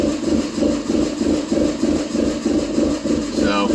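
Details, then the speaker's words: 2006/2007 Subaru Impreza 2.5i, timing belt reportedly changed 10,000 miles ago, idling warm: lopes unevenly at about three beats a second with a rising and falling exhaust note; occurs only once warm, with timing over-advancing at idle; cause not yet found. "It only does it once it warms up. As you just saw, we got some weirdness going on in there."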